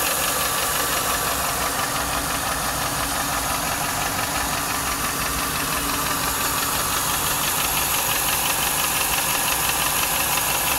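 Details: 1995 Lincoln Mark VIII LSC, Ford 4.6 DOHC V8 at idle: light even tapping about three per second; owner unsure whether lash adjuster tapping or piston slap/rod knock, cause undetermined.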